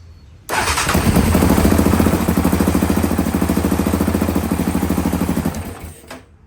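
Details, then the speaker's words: Yamaha Raptor 700R running an aftermarket ECU before a swap back to the stock ECU, cooling system still being bled: catches and revs, then a lumpy, hunting idle at about three beats a second. Erratic idle, cause not confirmed. "I can kind of hear that brr. I don't know I don't know I don't know. Like the idle's kind of sporadic."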